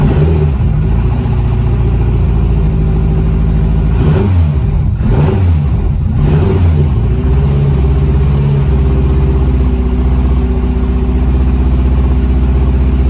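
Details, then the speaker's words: Honda CRX with a misfire after a track-night money shift, cold start after reassembly: loud idle with an uneven lumpy beat and a dip in the middle, running rough like a missing cylinder; owner suspects the head gasket. "I'm not sure if you guys could hear it, but I could. It don't even sound right."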